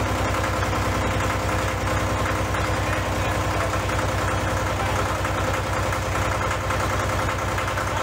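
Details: Case 485 loader tractor diesel after head removal and reassembly for coolant filling cylinders, first start: rough, uneven clatter at about 200 per minute over heavy idle with white smoke; injectors suspected sticking open and flooding.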